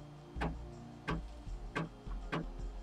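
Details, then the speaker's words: HE3D K280 3D printer running with a steady low hum and sharp clicks about every two-thirds of a second, clicking repeatedly. "know if y'all can hear that but it's yeah it's clicking like crazy I think it's"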